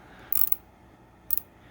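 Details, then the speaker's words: Pittsburgh Pro 1/4-inch swivel head ratchet from Harbor Freight, new out of the package, after switching direction: short bursts of light clicks with gaps, skipping instead of holding, catching only sometimes; pawl not engaging reliably, ratchet slipping. "on the one-quarter inch ratchet there is a problem this thing is slipping around"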